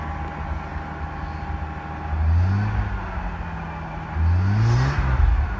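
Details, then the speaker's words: R31 Nissan Skyline first start after turbo install, exhaust leak present: two throttle blips, each with a rising whir climbing with revs then fading; normal turbo spool. "Ooh, that sounds like a turbo. How exciting."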